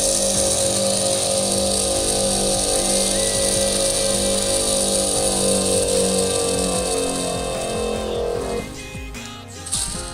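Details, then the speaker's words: Homemade automatic watercooling-cleaning machine, pump at high power with the hose pinched to raise pressure: a steady high pump whine over music cuts out abruptly about eight seconds in; pressure safety cutoff working. "voilà on peut voir le seul qui s'est activé la pompe cet arrêté immédiatement donc le système de sécurité fonctionnent bien"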